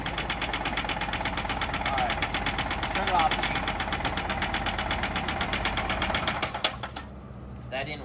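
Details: Chevy HHR at idle with rod knock: fast steady knocking, close to three per second, until shut off; household additives like vinegar were poured in, seeming slightly quieter.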